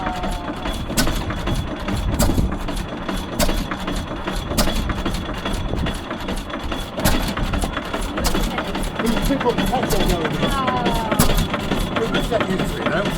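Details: Fairbanks Morse Z series 6 hp single-cylinder engine, just started after an overfilled starting reservoir: slow steady firing beats about once a second over a low even rumble; running smoothly.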